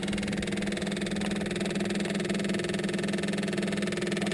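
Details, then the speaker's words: Cat 259D after fuel lift pump install and fuel filter replacement, key on before cranking: steady electric buzz with a fine fast pulse and clicking as the lift pump primes, filling the filter bowl; normal, no leaks. "let's click this on and see if we hear that that clicking sound aha I can hear it from here"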